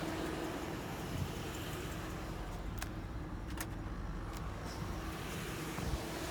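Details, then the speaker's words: 2007 Chevrolet Suburban, about 213,000 miles, previously loud lifter tick; after Motor Medic flush, oil change and Lucas heavy-duty oil stabilizer, AC off: low, smooth, even warm idle with no ticking; the lifter tick is gone. "that sounds pretty good it sounds a lot better wow i'm actually pretty impressed the lifter tick is completely gone"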